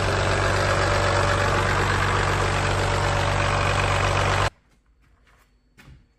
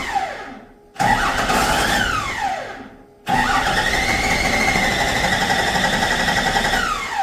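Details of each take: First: Used Cummins P-pump diesel bought to replace a worn Ford 7.3 IDI, heard running before installation: even, regular diesel clatter at a steady idle for about four seconds, then a clean shutdown; healthy engine. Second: Ford truck with the 7.3 IDI removed and a P-pump Cummins installed, first test start: two cranking bursts that never catch because the fuel shutoff lever was sprung to off; it should be forward to run.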